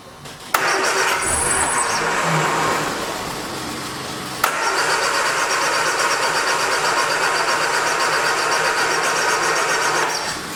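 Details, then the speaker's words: 1979 Triumph Spitfire, crank with no start: the starter spins evenly for several seconds but the engine never catches. Fuel pump tested good, so a stuck carburetor needle and seat is suspected, causing fuel starvation. "it's definitely [Music] fuel delivery issue yep that fuel pump's working good so i'm thinking the needle and feet and stuff"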